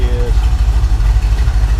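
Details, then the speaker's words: 1980 Camaro 5.7 small-block V8, kept from getting hot: deep, steady, even idle burble, no knocks, ticks or misses; runs healthy, though an oil leak and exhaust leak remain. "sounds really good but we do have an oil leak and I'll tell you where that is"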